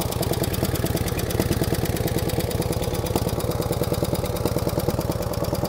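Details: 1949 Harley-Davidson FL Panhead V-twin cold start idle: light quick ticking over the lopey beat from the upper pans; seems to have solid lifters, pushrods to be adjusted.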